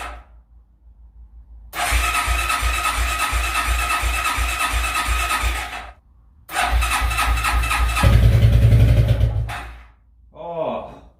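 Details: Suzuki QuadRunner ATV barn find, not run in 10+ years, first cold start on full choke: catches quickly then chugs unevenly about four pulses a second with surges and stumbles; rough running after long storage.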